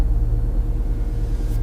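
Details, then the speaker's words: Smooth low rumble at a steady idle with no knocks, ticks or stumbles: the engine sounds healthy. Check engine, tire and brake lights are on. "for the most part I can hear that the motor is healthy it sounds healthy I hope my microphone sounds alright but yeah it sounds healthy"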